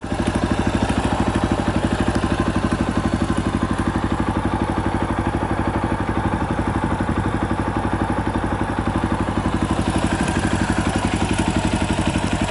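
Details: 2018 Yamaha Tricker XG250 at steady idle with a light rattling clatter through every firing, about four a second: cam chain noise from a loose cam chain tensioner, the stock tensioner being self-adjusting, before adjustment.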